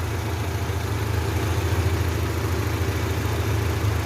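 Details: Honda Civic Genio petrol engine after checking for a dead spark plug, which had made it run weak: steady, even idle hum with a smooth, consistent beat and no dropouts; firing on all cylinders.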